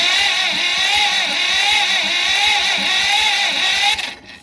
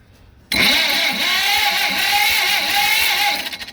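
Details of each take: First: John Deere B that sat many years, cranked after its corroded plug wires and boots were cleaned: the starter whirs with regular thuds but the engine never catches. No spark; the distributor points are suspected corroded and needing sanding. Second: Long-dormant John Deere B tractor after freeing the engine and fixing a loose ignition connection, no carburetor fitted: steady even cranking at about two compression beats a second; normal cranking.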